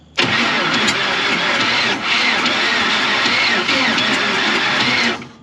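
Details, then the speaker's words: Ford Ranchero 4x4 with a 350 Chevy parked 30+ years, bad head gaskets, rusty cylinders, gas and ATF in cylinders: the starter whirs with fast, hollow, uneven chuffing and no catch; compression leak suspected. "why does it still sound like it's blown out everywhere"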